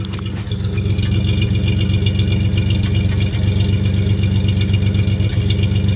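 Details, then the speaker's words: Buick (Dauntless) 225 V6 in a Jeepster with suspected intake manifold gasket vacuum leak, after ME Wagner adjustable PCV installed and tuned rich, mic near exhaust: steady idle with an occasional dropped beat; intermittent misfire, likely one cylinder still lean. "And you can hear that every now and then there's a miss."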